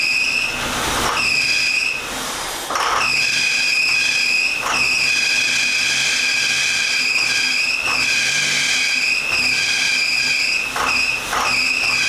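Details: 1981 Chevy Camaro running for the first time after years of sitting: a high, steady, unrelenting squeal over the running engine. The owner says a pulley sounded awful; the belt/pulley cause is suspected, not confirmed.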